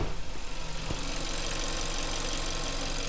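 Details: 2012 Kia Sportage at an even, steady idle: the electric brake vacuum pump, which had developed a loud buzz from internal wear, now runs quietly under the engine note with no buzzing or droning.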